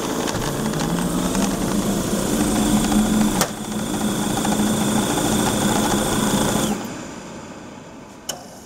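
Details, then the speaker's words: Waste oil burner, ignition transformer disconnected to simulate a bad transformer: burner motor and fan hum steadily with a faint whistle but no flame whoosh; runs without producing flame, no ignition spark. "we have disconnected the transformer here there's no current going to the transformer so it's not going to light simulating a bad transformer condition"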